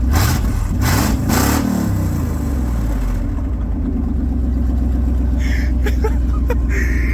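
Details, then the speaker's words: Pickup truck V8 with both catalytic converters just cut off, before new 2-inch high-flow cats and X-pipe go in: raw, booming roar on throttle blips then loud lumpy idle; very loud open exhaust, cats removed. "That thing sounds crazy. It's so loud though. It sounds like my old truck."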